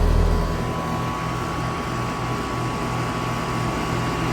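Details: Carrier R410A air conditioner condenser with replaced Broad-Ocean fan motor running: smooth steady low hum and even fan rush, no rattle, scrape or cycling; running normally.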